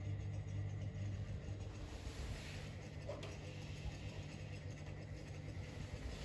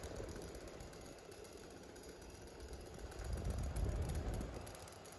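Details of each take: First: Fan running on medium after its capacitor was replaced with an identical one, now faster than before; the base is not bolted down and it shakes a bit on high. A soft, steady, even hum with no rattle or scrape: normal. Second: Fan that needs oiling: a dry, uneven knock about three times a second over a low hum at low speed; owner unsure whether it's just something loose, possibly a dry bearing.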